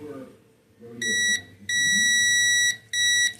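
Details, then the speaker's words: Multimeter calibration and continuity check while repairing a dryer that overheats and keeps blowing thermal fuses. The probes are touched together and should read zero. Three clear high beeps, short-long-short: the meter responds properly. "Once you touch once you touch these two props together, it should reach zero."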